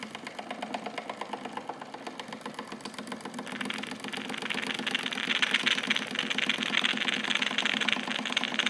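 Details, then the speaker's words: Wilesco D455 tabletop stationary steam engine starting with the throttle full open as the cylinder heats, purging condensed water and some oil: light, crisp chuffs start slow and quicken to about three a second, steady and even. Normal running. "Just like that, she starts up. How about that? So as everything really comes up to temperature, it's purging condensed water as well as some oil."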